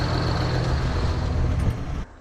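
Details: New Holland TS115A diesel tractor after setting injection timing, warm run before a planned cold-start test: a little rough at the start but fires right up, steady even clatter with no hunting or knocks, not smoking; unidentified ticking present. Timing considered fixed.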